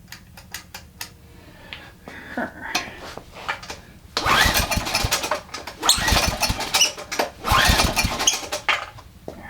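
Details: Generac 3000 W generator with Enduro overhead-valve engine, bought as a mechanic's special: pull-start bursts with brief catches that die straight away, nearly fires but won't keep running; owner suspects the governor is set up wrong or missing a spring.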